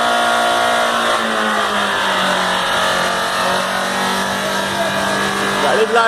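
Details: Maruti Swift Dzire diesel screaming at a steady, very high speed on its own; suspected engine runaway caused by turbo failure, unconfirmed.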